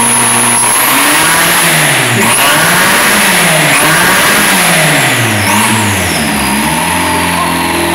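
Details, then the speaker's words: SEAT 124 turbo, first start after a rally-style build: loud revving rises and falls unevenly, stumbling between blips. It misfires because some parts are still missing; cause suspected, not confirmed. "Falla porque falta un poco de cosas, está empezando."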